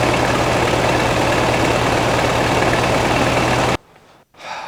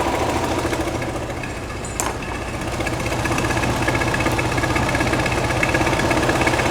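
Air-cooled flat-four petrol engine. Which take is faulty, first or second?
second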